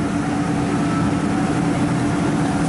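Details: Ford E-150 5.4 L V8 at idle, no code: steady heavy rumble with uneven loping beat, constant dead miss; PicoScope traced the misfire to cylinder 3 and a failed ignition coil.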